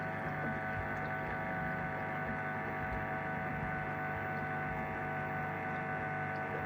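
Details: Two-month-old LG 11kg Steam Direct Drive F1495KDS washing machine in the wash cycle: a steady electric buzz that varies in intensity and reached 66 at times. The recirculation pump is suspected.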